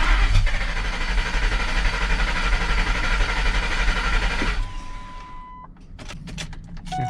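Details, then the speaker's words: Ford Lightning truck after swapping the PCM relay for a donor: starter spins the engine steadily about four seconds but it never fires, and the fuel pump isn't heard at key-on; cause still unknown; crank no start. "cranking no start so that's a bummer figure out why i won't start now but i i'm not hearing the fuel pump come on"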